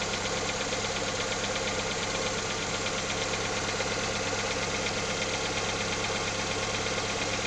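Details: Lada Xray engine at cold idle: fast, fairly even ticking knock about two per second over steady idle; owner asks what is knocking, source unknown.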